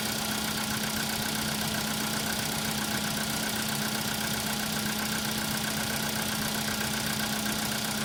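Quiet cold idle with a steady fast tapping, about four a second, riding over the engine; a cold-start knock, source not pinned down.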